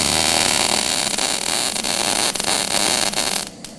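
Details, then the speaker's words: MIG welder: steady crackling, hissy arc that turns ragged with uneven spatter as the torch is raised too far from the work, demonstrating excessive torch distance. "start out the first little bit will be fine and I'm going to bring her up and you'll hear the difference"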